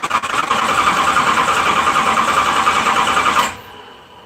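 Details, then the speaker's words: LS 4.8 V8 swap, just switched to 60 lb injectors from a 5.7 and loaded a new remote tune; starter cranks about three turns a second for three seconds, never fires; they suspect more fuel is needed during start. "Oh yay did not start at all"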